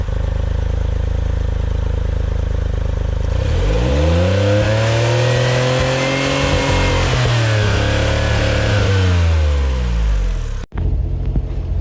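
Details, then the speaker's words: Autozam AZ-1 (Suzuki Cara) after new fuel rail and pressure regulator, engine cold and just started, throttle held down: climbs then hangs at one flat pitch for seconds before dropping back; won't rev past about 4000 rpm. "Same thing. I'm holding at 4,000, the pedal down. I'm holding the throttle down."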